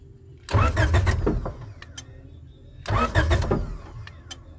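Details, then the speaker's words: Honda H22 from a 1996-2000 Prelude/Accord/Civic for a go-kart project: two one-second cranking bursts that never catch, faint main relay clicks between tries; cranks but won't start without the power wire, acting as a kill switch. "See, it won't start without that power. without that power wire."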